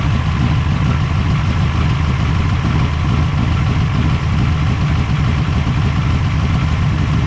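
Deep, even low rumble with steady firing and no misses, knocks or hunting; the engine is settled into a smooth, healthy idle.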